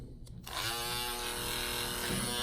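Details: Andis cordless T-Outliner trimmer just fitted with an Omni Cord ceramic blade and zero-gapped, not yet oiled. A bright, steady high buzz starts at once with even pitch and no rattle. Normal running.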